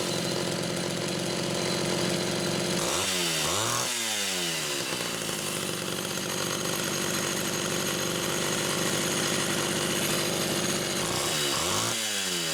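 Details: Homelite Super XL chainsaw test-running carburetor number 2 after its Welch plug was replaced; both mixture screws had been over 3.5 turns open. A steady two-stroke buzz holds even revs with a couple of clean throttle blips. It idles and revs smoothly; judged good.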